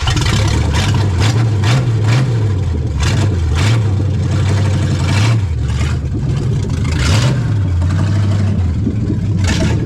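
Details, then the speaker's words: 1970 Dodge Charger 383 V8, 4-speed, barn-find revival, warming up after instant start during radiator flush: loud, lumpy idle with even exhaust pops and steady low beat, runs clean; normal idle. "Let this run and circulate for a while. Man, this thing's not half bad. It sits there and purrs."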